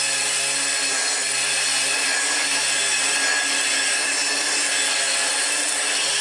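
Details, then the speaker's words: Car-boot-sale Dirt Devil upright vacuum (UK variant) after refitting belt and bag: steady, harsh, hissy roar with a rough scraping edge; the brush roll makes the noise, and it sounded better without the brush fitted. "it sounds terrible but a lot of that's in the brush though it sounded better without it"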